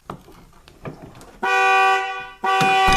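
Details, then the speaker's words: Nissan Armada with a newly installed 2-way alarm/remote start: two loud steady horn blasts a second apart as the alarm triggers correctly when a door is opened. "any of the doors, it'll go off. And it'll indicate it on the remote, as you'll see."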